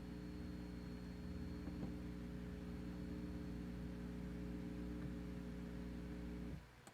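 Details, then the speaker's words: 300B single-ended tube amplifier before circuit modification: a steady, loud low buzzing mains hum with stacked tones, ending abruptly; the hum is large enough to disturb music, and the volume control is also noisy. "이정도면 솔직히 상당히 큰 험 이고요. 음악을 들을 때도 방해가 되는 상태입니다."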